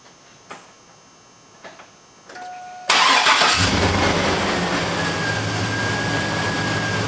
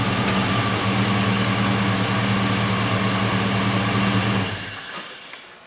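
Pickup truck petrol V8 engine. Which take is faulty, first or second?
first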